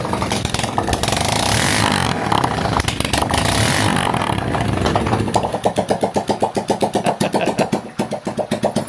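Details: Lifan 110 semi-automatic engine with kick start, freshly swapped into a Honda C90 with a new NGK CR7HS plug: loud revving settles into a steady, even single-cylinder putter of about four beats a second; normal idle.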